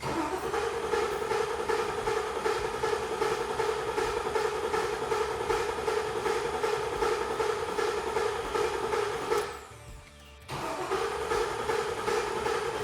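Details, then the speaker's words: LQ4 6.0 V8 with 4L80E swapped into an International Scout Traveler, first crank before fuel pump priming to build oil pressure: steady rhythmic cranking about two and a half beats a second with a ringing mechanical whir; odd noise, starter suspected. "Really don't like that noise. I hope that's just the starter."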